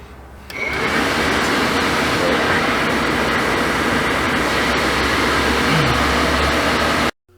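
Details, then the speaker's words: Suburban RV furnace blower fan in a coach, after many parts were replaced by another repairer. Fan spins up to a smooth, even rush of air with no rattle or scrape and feels normal. "So, the the fan started, sounded normal. Um, I'm feeling how much air is moving. Feels good."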